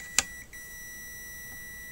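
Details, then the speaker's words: Sony XBR-65X850E TV that won't power on and makes a high-pitched buzzing: multimeter probe click, then a steady high continuity beep across two diodes on the power board, showing them shorted. The diodes were replaced. "so whilst doing some tests I found out that I found that this two diodes are basically giving me some form of a shot"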